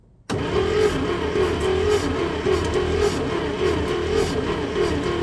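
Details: 1965 International Scout, off the road since 1979, fuel bowl just disconnected. The starter spins the engine with a steady, uneven churning for five seconds without it ever firing. Cranks but won't start.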